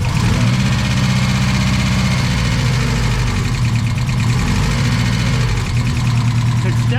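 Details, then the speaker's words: Engine started after throttle adjustment, no radiator fitted: lumpy uneven idle with clattery metallic noise, one cylinder dead from a leaking valve. "sure is clangy man it's playing as hell"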